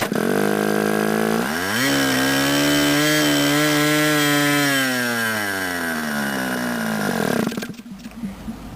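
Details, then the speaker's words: Model airplane glow engine started by hand with the throttle opened gradually; high, steady buzz that climbs and eases smoothly with the throttle, running clean without misses; normal running. "and your engine should start like that now excuse"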